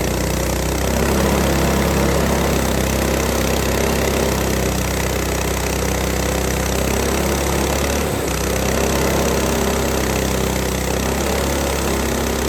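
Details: Frontier OS18 sawmill's Lifan 7hp GX200-clone engine after head gasket repair (zero compression from a loose bolt): steady, even drone barely dipping while cutting extremely dry, hard ash with a sub-par blade; good power, normal under load.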